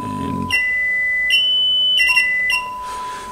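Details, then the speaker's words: Kriesler 11-60 valve radio, initial checks: signal injected at the 6M5 output tube anode gives a clean steady mid-pitched test tone through the speaker, so the output transformer and speaker are okay. "with that we can safely assume that the output transformer is okay"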